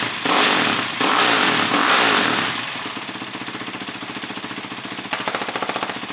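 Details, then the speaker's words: 2006 Honda CRF450X with a CRF450R head, after rebuild, started on electric start: crisp start, then a quick, even four-stroke beat that picks up cleanly and revs fast. Normal running. "But it sounds good, it revs super fast, gets in the RPM super well."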